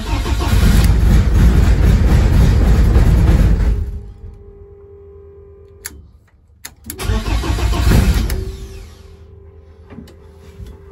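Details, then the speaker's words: BMW E30 rally project: engine cranks, catches and revs, drops to an even idle, then restarts cleanly and settles; normal start and idle. "chuffed the bits now that it's fired up now i can get it out the garage give it a clean"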